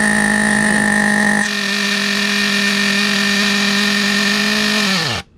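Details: Vintage Team Associated Nitro TC3 under restoration, OS LC4 medium glow plug, after fuel tank over-pressure. High steady scream at constant revs, then pitch sags and it dies abruptly. Loose cooling head suspected, not confirmed. Engine cutting out.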